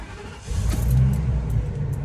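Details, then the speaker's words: 1999 Coachmen Santara 238RB motorhome, V10 with about 74,310 miles, started from the cab: quick crank, then the engine catches and settles into a steady, even low rumble with no misses or knocks; clean, smooth start. "Nice, smooth V10 start."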